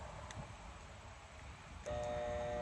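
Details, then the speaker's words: Electric motor on a New Holland hay elevator: quiet, then a loud steady hum that loads up without winding up to speed; failed start capacitor, motor only starts if nudged by hand; fix is replacing the capacitor. "The start capacitors kind of go out of them, and it'll kind of sound like this."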